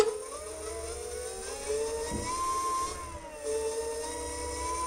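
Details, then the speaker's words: DIY dual 350 W hub motor electric scooter, front hub motor tested alone at 35.9 V on gear three: clear whirring that swells and dips with throttle, motor spinning freely; normal hub motor running. "you can hear it it wants to go the voltage is at 35.9 right now and that's on gear three"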